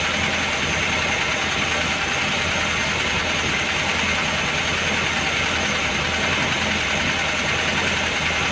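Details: Engine fully warmed to operating temperature after sitting a day and a half, hot idle: light quick tapping over the engine hum; heavily worn camshaft and its bed, oil pressure light flickers when hot.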